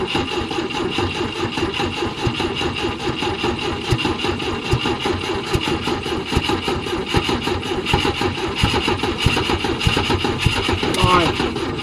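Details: 1972 Volvo 145 four-cylinder, first start after purchase with fuel rigged and vacuum ports plugged: lumpy, uneven idle with irregular stumbling pulses and no steady beat, running on only two cylinders because plug wires were off; very hard to start.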